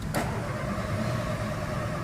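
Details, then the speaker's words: VW Fox VHT 1.0 after earlier poor repairs elsewhere: the starter whirrs steadily and the engine turns over for a couple of seconds but never fires. Crank, no start. "Não parte. Só mais uma vez. Vamos tentar ir de novo. O carro não parte."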